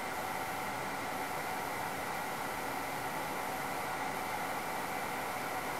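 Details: InFocus ScreenPlay SP7205 DLP projector after realigning the three misaligned lamp-fan contact tabs that had caused a flashing fan-failure light: even, steady fan whoosh with a faint constant whine, no rattles or speed hunting; fan healthy, unit in run mode.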